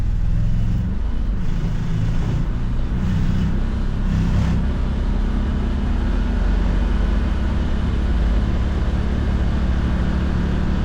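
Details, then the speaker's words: 2022 Can-Am Defender HD9 DPS cab with factory heater, after fix: heater core loose in its plastic slots padded with foam weather stripping; steady engine and road rumble at 30-45 mph, cab rattle gone, only a faint new tingy sound. "Okay. So, that that was a lot better. I heard this little tingy sound after, but I never noticed that before. Probably cuz that was rattling too much."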